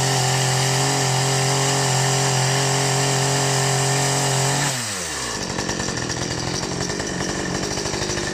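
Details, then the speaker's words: Ferrex (Aldi) 45cc petrol two-stroke chainsaw, first start after priming, took several pulls to fire, oil filled with regular 4-stroke oil; steady high buzz drops cleanly to an even quick idle chatter, running normally. "Starting up this chainsaw for the first time wasn't the easiest task. It took a few efforts before I could finally fire it up, but anyway, it's done now."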